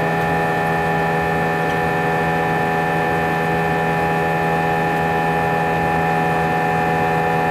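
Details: A320 cabin during takeoff: a loud, constant drone with steady tones over a low rumble and no pitch change, and vibration felt through the seats for the whole 5-hour flight. Intercom announcements were drowned out and passengers felt something was wrong. Cause unknown.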